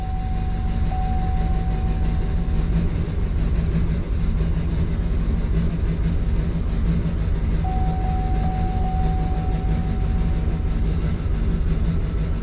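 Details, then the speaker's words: 2007 Chevrolet Duramax diesel after a previously unplugged connector was refitted, running with a deep but slightly uneven rumble, not firing on one cylinder, no check engine light; dead cylinder misfire, cause unconfirmed. "check engine light's not on even though it's not even hitting on one cylinder"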